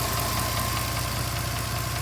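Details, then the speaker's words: 2010 Mercedes-Benz C300 4Matic petrol idling: rapid even low knock with a light tick, both rising with revs, knock seeming to come from the bottom passenger side of the engine; cause unknown. "The knocking sound sounds like it's coming more from the bottom passenger side of the engine. Not sure exactly what's going on. Both sounds rev with the engine."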